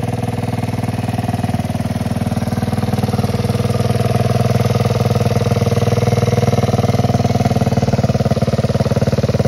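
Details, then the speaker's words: 1969 Honda Z50 (Z50A) mini bike after about 20 years in a barn. First start after carb refit, new fuel lines and filter, on choke. Started in 2 kicks; single-cylinder thumps at a quick, even beat with no knocks or stumbles. Runs well despite dirty, low oil. "Than expected, 2 kicks and it started right up. Okay, this is awesome. This thing runs super good, it seems like."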